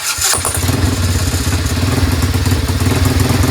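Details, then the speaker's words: Chinese 125cc ATV quad with intermittent spark loss, cold at 30° and unchoked: small single fires straight up on key switch, settles to steady slightly lumpy idle; has spark now, later loses it (owner suspects CDI or kill wire/switch). "it's cold it's 30° I didn't choke it but it starts"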